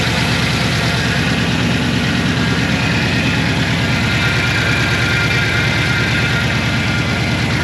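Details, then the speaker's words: L98 V8-swapped Toyota Landcruiser 80 Series with oversized cam, first start before tuning and dyno: deep, loud, lumpy lope at idle, even with no knocks or misfires; normal idle. "bloody ella thing sounds rowdy it's a party just as we thought it's it sounds like a party"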